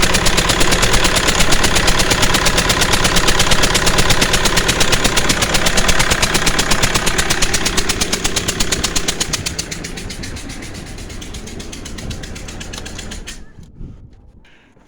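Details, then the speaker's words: 2009 Mercedes C220 CDI with a stripped injector stretch bolt, No. 2 injector popped out, black carbon buildup: sharp regular chuffing about three per second over the diesel idle, injector blowing by like a steam train. "trying there we go as you can hear it sounds like a puffing billy"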